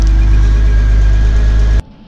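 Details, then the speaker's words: 2001 Porsche Boxster after replacing the noisy pulley bearing (and the radiator): steady, even idle with a low smooth hum and no squeal or chirp from the belt side; quiet and healthy. "So we'll start her up, see what it sounds like. Oh yeah, that's nice. Nice and quiet."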